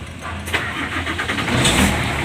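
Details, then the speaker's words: Hino Lohan diesel truck that stalls when braking or turning, has weak power, and needs throttle to start: cranks briefly with throttle held and catches at once; hard starting from out-of-adjustment injection pump. "Coba kita starter ini susah hidup tapi kalau kita injak ke seperti ini"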